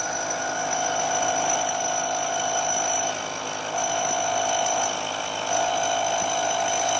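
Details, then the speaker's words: Lathe cut nearing the end of a long part cantilevered out of the chuck jaws: a harsh, ringing buzz of chatter that worsens as overhang grows, causing a poor surface finish. "this cantilevered out of the jaws you can hear more and more vibration"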